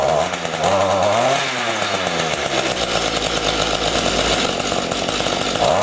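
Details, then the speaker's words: Small two-stroke rototiller engine stored over winter with fuel, after carburetor cleaning and adjustment: revs rise and sag unevenly, won't take throttle; lean low-speed mixture, low adjustment screw needs opening slightly. "now you hear how it won't take the throttle that's the low adjustment we need to open that screw a little bit"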